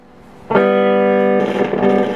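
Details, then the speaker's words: 1969 Shure Vocal Master PA amplifier with guitar plugged in: clean chord turns crackly and uneven as the dirty, scratchy volume pots are moved. "the pots are just really really really really scratchy dirty"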